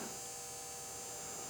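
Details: Restored electroplater power supply on test, turned up to 10 volts at 10 amps into a load resistor: steady electrical buzz with a thin high whine that never wavers, transformer humming under load, supply working fine.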